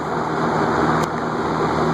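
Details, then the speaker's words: Air King 20" box fan, shaded-pole motor on high at about 1.75 A after its stuck bearings were freed with WD-40: steady even whoosh, smooth hum, no ticking or grinding; normal high-speed running, bearings seem okay. "high point seven-five am not a fantastic air mover but it's not bad"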